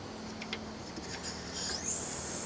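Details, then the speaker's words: 1995 Ford F-250 4x4 R-134a AC system: sharp steady hiss once the service cap is removed, refrigerant escaping past a failing, non-sealing Schrader valve on the discharge side, the main source of the leak. "and you can hear the reason why this system is losing Freon it looks like I've got a failing shraer valve in here so hopefully you guys can hear that"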